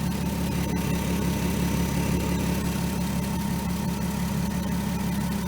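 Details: 2003 VW Eurovan VR6 after timing chain, guide and sprocket replacement, warming up just after start: even, settled idle, steady low hum, no ticking, rattling or misses; normal idle.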